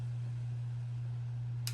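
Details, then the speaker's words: 1926 Ford Model T Roadster fitted with a generator motor, fuel being filled and choke in use: steady low hum, then one sharp click as the solenoid pulls in normally; engine close to starting. "there's that solenoid clicking over it's so close"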